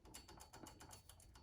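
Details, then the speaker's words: Old power steering pump on a 2005-2009 Subaru Legacy, pulley turned by hand with belt removed: light quick clicking, several per turn; broken internal fin suspected, new pump silent. "like clicking. Could be a lot of things. Fin broken or something."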